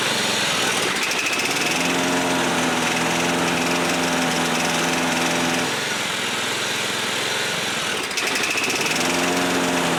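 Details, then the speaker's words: John Deere 14SB push mower, a trash find, at half throttle after the carb was pulled and inspected: buzzy, uneven running that sags twice before recovering; the carb likely needs a rebuild; rough running. "[Music] I think the carb needs a rebuild [Music]"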